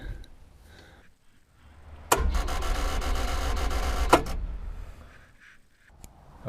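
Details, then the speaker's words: Hitachi UH043 excavator abandoned 16 years in woods, cranked after repairing starter wiring, before oil change and radiator fill: starter turns engine over at an even pace, not seized. "she's turning over. That's a relief. Before I go any further, I'll I'll change the oil and um fill up the radiator. That's a good sign that she's turning over. It's not seized up."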